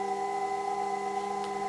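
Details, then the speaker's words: Rotary converter of a vintage Leevers Rich Series Cs location reel-to-reel tape recorder, just started working again: constant low hum with a steady high whistle, its normal running sound, though brushes sound worn. "interestingly the rotary controller seems to have started to work if I turn him on now it certainly sounds like as if the brushes have gone but that hum that whistle is a kind of sound you'd have at all times"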